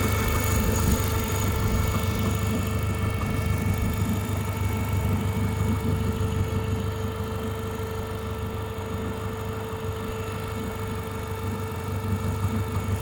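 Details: Renault Megane 2 with F4RT 776 2.0 turbo engine idling: steady dull rumble with a constant mid-pitched hum on top that doesn't belong; strange engine noise, source unclear.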